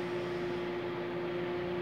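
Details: Microwave that switched on but didn't heat, running on 220 V with a cup of water after its 5 kV 0.8 A high-voltage fuse was replaced: a steady mid-pitched hum with no crackle or arcing. Normal operation.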